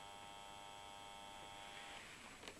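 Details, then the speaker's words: Faint steady hum for about two seconds with no spin-up, then it cuts out, as a Salamander ESP 80 electric water pump is plugged into the mains; the motor is trying to start but can't. "so not a lot but he was humming so it was trying to start but couldn't now most of us know what that is"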